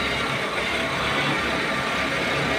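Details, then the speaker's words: Honda Civic petrol engine after replacing a faulty spark plug; steady, even idle hum with no stumble, and pulling each plug lead now drops power; misfire gone, normal idle. "oh ' ba tahimik na oh oh tahimik na ito"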